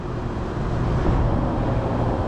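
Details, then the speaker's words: Blower motor on a large Trane unit during condenser motor replacement ramping up normally, 17 to 25 Hz: a smooth deep rumble swelling steadily as the fan spools up, no knocking or scraping; normal blower motor start-up. "oh that's the blower blower motor starting to ramp up so 17 Hertz 25 Hertz you can hear spinning now"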